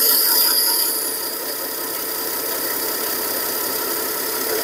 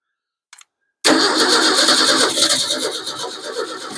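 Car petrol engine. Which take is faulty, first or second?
second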